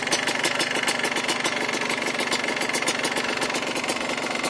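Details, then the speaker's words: Two-stroke engine at idle after being cleared of oil-logging, smoking very little: crisp, regular tinging ticks about four or five a second over a light rattly idle. This is a healthy two-stroke idle. "Especially right here. You hear that ting. That wonderful two-stroke tinging sound."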